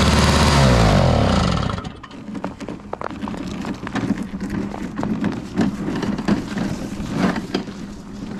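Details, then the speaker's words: Toro Powerlite single-stage snow blower, model 381182, 98cc two-stroke, free used unit, primer bulb needing replacement; loud burst on startup then uneven popping, stumbling idle; rough running when cold, needs warm-up time, otherwise not running too bad. "Looks to me like it needs some warm-up time, but it wasn't actually running too bad."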